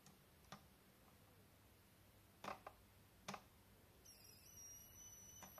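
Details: YH11087A 5A MPPT solar regulator fed by 60 Wp panel (~17.5 V input), 12 V 55 W H7 bulb load, output 12 V: raising output current limit (from ~0.77 A, capped near 1.53 A) produces thin steady ~7 kHz coil whine.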